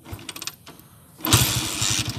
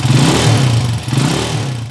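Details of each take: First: Honda TMX155 single-cylinder with points ignition, after repair for a fine ticking: it fires up and settles into an even, steady idle, and the ticking is gone. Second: Honda TMX155 single-cylinder with points ignition, before repair, revved: fine, fast ticking over the engine from an uneven valve tip; the timing gear is fine, and the valve was replaced.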